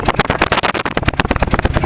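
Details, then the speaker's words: Engine idling after a new coil fitted, heard at the tailpipe; exhaust pulses uneven with a regular gap where one cylinder drops out: misfire on one cylinder. "right, that means we're missing on one cylinder."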